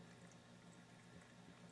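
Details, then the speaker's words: AquaClear 30 hang-on-back aquarium filter after silicone lubricant on the impeller, lid on: a very quiet low hum with trickling water and only the odd faint rattle; impeller rattle largely gone. "yeah that's not bad I mean I can hear a little hum the occasional"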